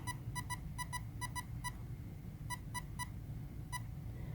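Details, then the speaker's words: Castle Creations ESC in programming mode: three short beeps then a fourth, indicating menu three (power) with option one, 25% power, selected. "now you hear four beeps three short beeps and a fourth beat that fourth beep is indicating option one at 25% power the default and the speed controller is 50% power"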